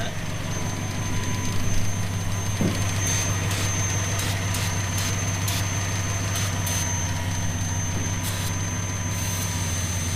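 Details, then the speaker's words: 1970 Plymouth Fury III convertible, 318 V8 with 904 automatic and glasspack exhaust, idling after a fuel filter change. Thin steady high-pitched whistle over a lumpy idle. Vacuum leak, suspected in a hose at the back of the carburetor. "okay well I think it's one of the lines coming out of the back of the the carb so we'll fiddle and fart and see if we can get the tone to change we'll know which hose it is"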